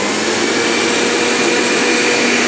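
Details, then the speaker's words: Blender running alongside a water pump and iron, about 900–1000 W total, on a 450 W (2 A) household supply fitted with an anti-trip capacitor unit: high, steady motor whir with no bogging, breaker doesn't trip, normal running. "Dan ini kondisinya mesin air nyala, setrika nyala, blender nyala."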